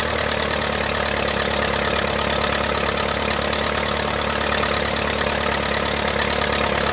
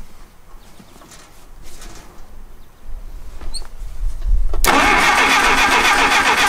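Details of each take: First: 1959 Case 300B (311B) tractor with front bucket, simple 4-cylinder gas engine, parked outside 10 years after overheating from a stuck thermostat; holds an even idle around four beats a second, no stumbling, running steadily. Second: 1959 Case 300B (311B) tractor, 4-cylinder gas engine, parked outside 10 years, cranking in neutral with choke on and throttle open a quarter inch: quiet then loud even cranking, a few beats a second, never fires; no impulse from distributor.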